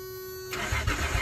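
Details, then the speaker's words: Truck's first start attempt after replacing spark plugs, fuel filter and fuel tank work: starter cranks in uneven pulses but the engine never fires, cranks without starting. "this is the uh my first attempt to um start her [Music] up son of a oh"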